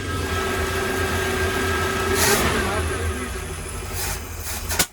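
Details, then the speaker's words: Chevy box truck restarted on ether after sitting, fuel now reaching the carburetor boosters: uneven lumpy idle with surging pulses, then a sharp backfire; runs rough, cause not yet known. "Woo! That was a big backfire."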